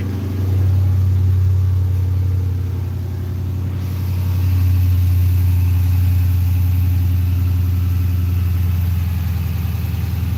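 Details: Dodge Magnum V8 started after its battery had been on the charger for a week; it starts right up into a strong, even low rumble that holds steady after a brief dip, with no knocks or misses; a normal idle.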